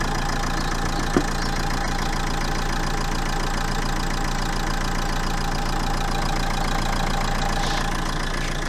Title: Renault 1.5 dci idling irregularly - Bad injector